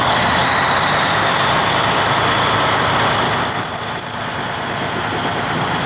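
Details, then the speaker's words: 1953 GE 80-ton long-frame diesel locomotive, last run 1998 by the Navy, just revived after temporarily twisting the contactor coil wires: even unbroken rumble and hiss pulling steadily, no knocks or misses; loads up and runs normally. Air throttle has dead spots, likely loose wiring. "Well, I say the mission is successful. Goes forward and reverse now. Loads up."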